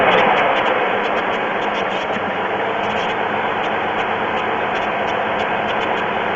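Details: Pontiac 3.4L GM engine at idle, oil level full: loose, uneven light tapping about three to four per second over rushing background; owner asks if it's piston slap, noise later stops completely. Cause unconfirmed.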